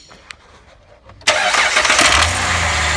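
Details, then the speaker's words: 2010 Jeep Liberty 3.7 V6 after replacing a failed cheap timing chain tensioner, run briefly with valve covers off: engine catches at once and settles into a steady idle with no rattle. Normal start-up after repair. "this definitely was the problem folks bad tensioner it happens"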